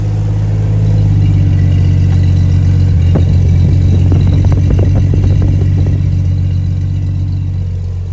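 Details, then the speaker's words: Toyota FJ40 with 77,000 miles after an exhaust leak repair with a homemade gasket: deep, steady, even idle with a smooth low rumble and no puffing or ticking from the exhaust; much quieter, normal running. "Well, it is a lot quieter, guys, and now I can actually hear the exhaust working."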